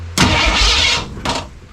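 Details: 1967 Mustang drag car at its first start attempt, with coil and distributor, testing whether the starter is hooked up: short burst of starter whirr turning the engine over, then a brief second bump; starter engages and cranks normally.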